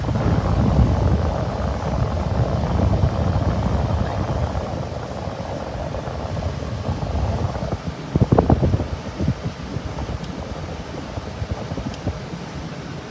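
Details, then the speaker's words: Carrier window air conditioner, 5,400 BTU, made August 1989, at spring startup after months unused, on fan cycle. An even low rumbling whoosh from fan and compressor, refrigerant audible, with no knocks, rattles or squeals. Normal running. "Fan cycle. So you kind of hear the refrigerant."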